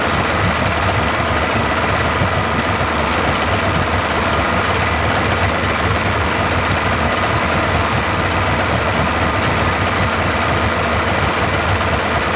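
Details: 1995 Yamaha 75hp two-stroke outboard in a test tub after water pump replacement, warming up: steady, even smooth low drone with no knocks or misses; normal idle.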